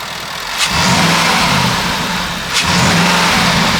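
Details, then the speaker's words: Jaguar XK, after oil change, running with little smoke, high short-term fuel trims: two quick revs with a hollow rushing hiss over the engine note; owner suspects a leak causing the high trims, not confirmed. "Did you hear that noise? That sounds to me like a leak somewhere. I think that could be the root cause of these short-term fuel trims being high."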